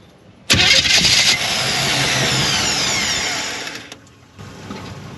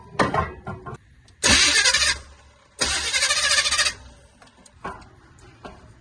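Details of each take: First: Cheap Chevrolet squarebody truck with no gas, cranked from under the hood on a jump pack: strong even whirr for about three seconds, no grinding or clicking, engine doesn't catch; starter turns it over fine. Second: Cheap Chevrolet squarebody truck, carbureted, on a jump pack: two short bursts of starter cranking, about a second each, never catch and fire; cranking fine but no gas has been put in it.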